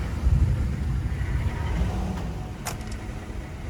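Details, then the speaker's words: Engine idling around 500 rpm while otherwise having plenty of power, possible misfire suspected: deep, slow, slightly uneven idle rumble; idle speed too low, which could cause stalling. "she not running 100% she got all this power she's ready to go but it's just when it idles it it's idling it like 500 RPMs this is crazy yeah something is going on with the island that'll cause it to stall out"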